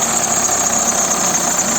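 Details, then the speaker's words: Idling petrol engine with a fast, dry crackling rattle from a belt roller. It is not yet known whether it comes from the timing belt or the accessory drive, and a water-on-belt test is used to tell which. "как трещит ролик и непонятно какой"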